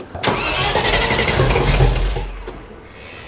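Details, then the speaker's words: 30-year-old Range Rover Classic V8, first start after 7 years with the fuel system refitted: long busy cranking to draw fuel, then a few ragged first firings that trail off as the engine tries to pick up. "now this hasn't started in 7 years it's going to take a bit of cranking to get the fuel to the engine but I'm quite confident it's going to start"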